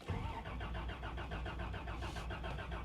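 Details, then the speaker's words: 1989 Toyota Land Cruiser barn find, sat eight years, cranked on fresh gas during sludge flush: steady rhythmic starter cranking about five beats a second, oil pressure rising, never fires, no fuel pump heard running; cranks but no start, fuel pump suspected. "I don't hear a fuel pump running."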